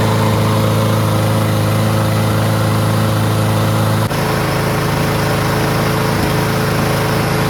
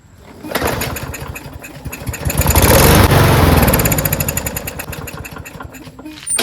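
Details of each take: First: Lawn-Boy push mower, Briggs 550 140cc with black plastic carburetor, governor bar bent slightly forward to stop surging; steady even drone at about 3,500 rpm with no rise and fall, normal running. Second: Lawn-Boy push mower with a Briggs 550 140cc engine and black plastic carburetor, full tank but no start. On ether with the choke closed it fires, revs on rapid even pulses for a few seconds, then sags and dies. No fuel is getting through; the carburetor is likely gummed up with the float and needle stuck.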